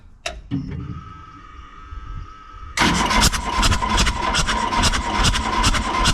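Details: Excavator diesel left sitting a couple of months cranks steadily at about 2.5 beats per second but won't fire, no smoke from exhaust; fuel system appears to have lost prime with air in lines, swollen fuel hose.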